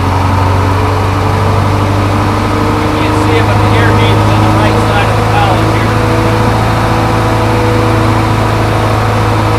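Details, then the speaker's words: Crane truck with a Detroit 8.2 diesel, 513 hours, idling after start while building air pressure, with oil pressure over 60 psi: steady, deep, even drone with no misses or surges. No excessive blow-by; a healthy idle. "I'm going to jump in the truck in just a second and fire it up, and you'll see it starts and runs good. It doesn't have excessive blow-by."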